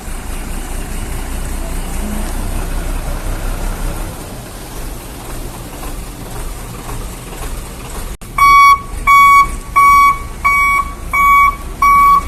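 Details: Hino Vector tronton dump truck backing up in a tight space: engine rumble, then a steady high beep about six times in four seconds; the reverse alarm is working normally.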